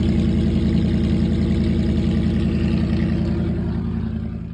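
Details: Classic carbureted V8 after the exhaust leak was fixed and the exhaust secured, carb cleaned, float level adjusted and new starter fitted: deep steady idle with an even low burble, no puffing or ticking, so the exhaust sounds sealed.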